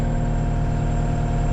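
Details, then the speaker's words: Cat 279D3 skid steer (about 2019) diesel, warm, after main drive hydraulic hose replacement (filter change still pending): smooth, steady low idle with an even beat, no knocks, misses or whine. Normal running, back to normal. "all looks pretty good. Engine's running warm. Back to normal now."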